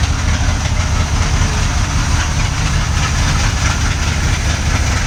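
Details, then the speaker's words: 1979 Corvette carbureted V8 (Quadrajet), off the road since 1995 and recently flooded, idling with a deep but uneven, stumbling beat and dropped pulses. It's missing on a cylinder; the owner suspects it needs plugs and a cleaned cap. "As you just saw by the last clip, it runs. It runs okay. It definitely has a misfire. Needs a set of plugs."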